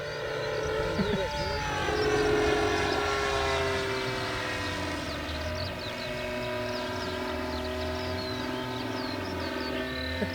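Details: Electric Mustang P51D RC plane on its maiden flight, with a wobbly prop spinner noticed: a loud buzzing drone that swells and fades as it flies past, sounding nitro-like and far rougher than a clean electric motor, likely motor vibration.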